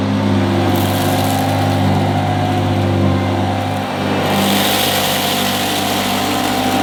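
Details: 1977 Hoover Junior Deluxe upright vacuum: smooth, steady motor hum with an even low drone, no rattles or grinding; owner calls it the quietest Junior Deluxe/Starlight he's used; normal motor running.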